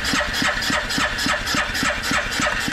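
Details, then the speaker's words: 2010 Arctic Cat 700 H1 fuel-injected ATV, 250 miles, won't run after being tipped over: even cranking about seven compressions a second, no firing even after carb-cleaner prime; fuel pump heard, spark to be checked next. "so still nothing there um you know the next thing would be is to kind of check spark see if there's something funny going on"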